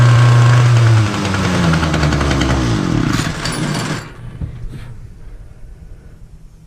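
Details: Titan multi-tool strimmer, small two-stroke on choke after tightening the carburettor adjusting screw: it buzzes, then the revs sag and it fades out instead of reaching full speed.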